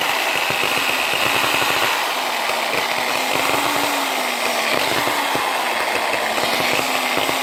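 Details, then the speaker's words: Old Bosch GWS9-115 angle grinder, non-speed-control, packed with fiberglass: whine rising and dipping with rough spluttering as the motor surges. The brushes were stuck in their holders; cleaning the brushes and holders fixed it. "not firing in all Pistons he about clogged it's fiberglass might just be sticking brushes"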